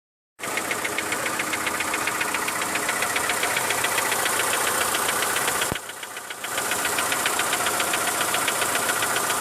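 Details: Mitsubishi Lancer 9 1.6 engine ticking at idle: sharp rapid tick about 220 a minute over quiet idle; owner suspects middle hydraulic lifters, services suggested much up to engine replacement; unconfirmed.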